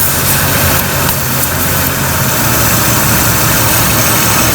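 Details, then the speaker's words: Jeep XJ, vacuum hose off the intake/throttle body (found loose while working on starter) that feeds the front HVAC vents; engine idles rough with loud airy hiss until hose is reconnected; vacuum leak. "let me show you where the hose is and you'll be able to tell a difference when i put this hose on you'll be able to hear the engine the vacuum is right here"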